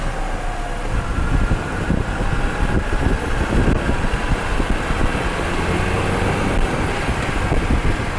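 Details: Final road test with a microphone installed, after repairing wheel noise when braking: steady road and tyre rumble while driving and slowing, no squeal or grinding from the wheels; brakes now quiet.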